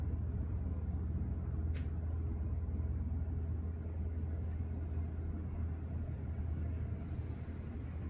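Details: 2021 Kenworth T680 diesel truck idling right after an oil pan replacement and oil refill: deep, steady rumble at even idle with one short air hiss, no knocks or rattles; engine runs fine.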